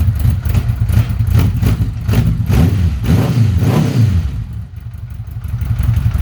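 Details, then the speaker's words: 1982 Honda Gold Wing Aspencade, first cold start after new exhaust without crossover: deep even rumble with clean throttle blips rising and settling, no misfires or rattles; normal cold start. "so this is going to be the first start it is a cold start and uh we're going to see what it sounds like together"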